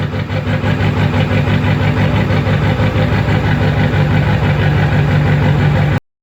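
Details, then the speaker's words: 2002 Ford F-350 Super Duty 7.3 diesel, cold morning start after glow cycles, hard start from a bad glow plug relay: steady, deep idle with a slightly uneven, lumpy beat near three per second that clears once warm; rough cold idle. "She'll clear out, and then she'll drive like a champ. But in the mornings when it's cold, that's how she goes."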